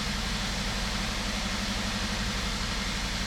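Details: 2003 Toyota Corolla 1.8 that cranked but wouldn't start. It started once the insurance company's ALDL adapter was unplugged. Steady, even idle with a smooth low rumble and constant hiss, no misses or knocks: healthy idle.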